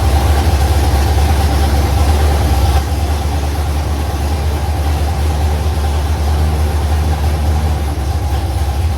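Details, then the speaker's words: Carbureted LS V8 swapped into a Fairmont, first fire-up on open headers (1-7/8 in primaries to 3 in collectors), 40 psi oil pressure, float bowls pre-filled with fuel pump off; deep, loping, even idle with lumpy cam rhythm; normal idle. "I'm thrilled. The It It sounds really good. It's It has good cam shaft sound."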